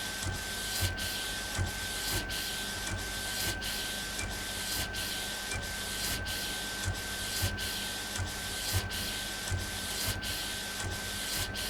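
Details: Epson Stylus Pro 4880 textile printer, first run after repair: even carriage passes about every 1.3 seconds, steady hiss and faint constant tone; normal printing.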